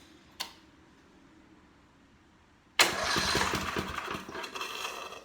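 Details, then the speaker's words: Portable generator cranked by electric starter for first time in 6–7 years, no fuel, stored with oil in crankcase: one click, then engine turns freely with even rhythmic compression chuffing, no firing; normal cranking. "That's a good sign. It's working. I can hear it sucking air and turning over with some compression behind it."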